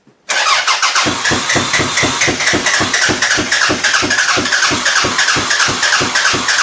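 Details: Toyota Camry demolition derby car, third day not running after it ran fine, OBD1 bypass done: even cranking about four turns a second with no firing; crank no start traced to no power to the engine computer, fixed by jumping power to it.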